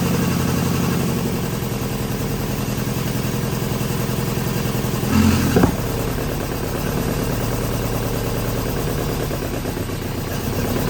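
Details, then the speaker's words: 1983 Volvo 242 B23 manual, carbureted, revived after sitting in woods, 12 V at coil: uneven lumpy running with a sharp pop, struggling to idle; owner suspects no ignition timing, doubts lean backfire since fuel comes from the carb throat. "Seems like it has no timing. Try it again. Try it again. And it could just be, I have a hard time believing it's lean backfiring when it's got fuel coming out of the throat."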